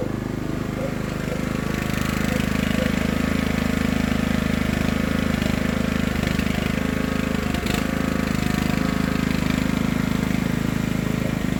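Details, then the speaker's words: Craftsman LT1000 riding mower just after Briggs & Stratton engine transplant, first start on choke and driving around yard: steady, even single-cylinder chug with low drone, no misses or knocks; runs fine; smoke is spilled oil on exhaust. "okay not bad guys we got a runner we've got the motor the engine transplanted and it does ride"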